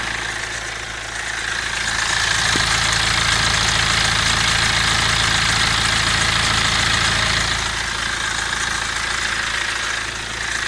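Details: BMW 116d N47 diesel at idle: fast, fairly even metallic rattle about three a second over the clatter; timing chain suspected, unconfirmed.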